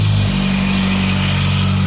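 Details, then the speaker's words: Saab 9-3 after sump cleaning, modified oil pickup, new oil, filter and breather pipe repair: steady even idle hum with no whine, oil pressure light out; oil pump no longer struggling. "the whining noise is gone because the Sunfish now clean and the pickup is now modified so it's drawing oil up into the oil pump with ease it's not struggling to do it anymore"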